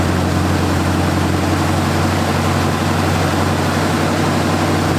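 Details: 1978 Ford Fairmont Futura straight six after GT40P head swap, Holley two-barrel, run after months of work: smooth, even low drone with steady beat, no misses, knocks or surging; normal idle.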